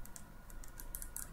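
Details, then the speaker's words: Microsoft Sculpt Ergonomic mouse before switch replacement: the working button's switch gives crisp, sharp, distinct clicks at irregular intervals, unlike the faulty left button that does not click. "ah here I hear a click I hope you can hear it this one have a click"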